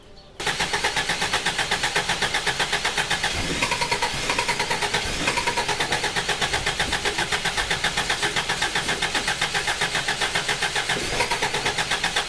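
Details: Four-cylinder petrol engine with distributor, spark not reaching all cylinders; starter churns evenly about four turns a second for over ten seconds, never catches; owner suspects ignition module or coil; crank no start.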